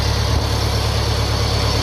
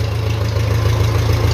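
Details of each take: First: 1957 Ferguson FE35 TVO tractor first start after restoration work, in neutral, tickover unadjusted: steady idle thump about three beats a second with thin high whine on top; source unconfirmed, heard as carb-flange air leak. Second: 1957 Ferguson FE35 TVO tractor after an air leak was sealed with grease and the cylinder head retorqued: steady, even idle with no stumble, running a lot better.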